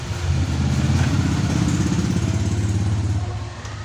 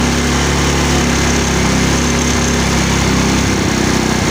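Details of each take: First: HARD STARTING NA MIO@chriscustomcycle Second: Mio scooter with a hard-starting complaint: steady, even buzz from the small engine with no knocks or misses; it sounds like a healthy, smooth run.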